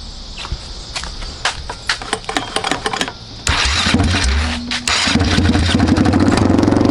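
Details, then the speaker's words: Frankenbug cranks, fires and runs loud, raw and crackling with the muffler off, through an open pipe. The muffler was coming apart, having vibrated so badly that its rivets pulled out. "Muffler's off I wonder what this thing sounds like"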